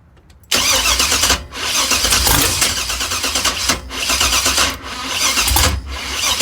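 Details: Engine with Holley Terminator X Max EFI: the starter cranks steadily in repeated bursts but the engine never fires or catches; cranks but won't start, cause not confirmed.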